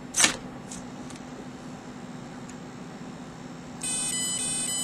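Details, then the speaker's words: 3DX-450 ESC plugged in: a click, a low hum, then four electronic tones signalling programming mode, when the stick goes to low to change the brake setting; ESC programming mode entry tones. "the minute I plug in here I'm going to go ahead and change the brake and I'm going to get ready and the minute the four tones come I'm going to go to low stick"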